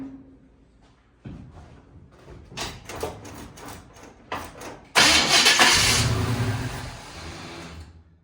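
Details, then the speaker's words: 1951 Henry J being cranked: starter grinds in uneven bursts and the engine never catches into a steady run; fuel isn't reaching the carburetor, fuel line being removed to check. "And again, we're not getting fuel. Let's get the fuel line off."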